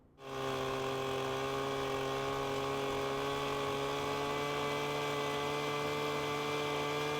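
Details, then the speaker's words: Two-stroke leaf blower, tube blocked against the ground at full throttle while turning the carburetor high-speed screw clockwise: steady high-pitched drone with no burbling or breakup; clean smooth two-stroking after four-stroking is leaned out. "Next, we'll gradually turn that high-speed screw closed (clockwise) until we hear the engine start to run smooth"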